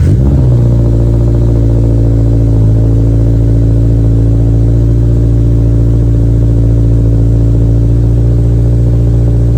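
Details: 2023 Toyota GR86 after replacing OEM exhaust with aftermarket system; deep, smooth low rumble, even pulse, no rasp or rattle, slight drone; normal healthy exhaust note.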